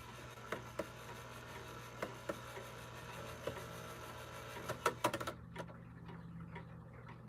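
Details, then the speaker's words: Clock movement after oiling the pivots: soft scattered ticks over low room hum, no harsh clatter; the strike train now runs much quieter than before and shuts off properly. "push this little excess oil into that pivot down below because it's in such an awkward position. There we are. [clears throat] That's a lot quieter than it was before."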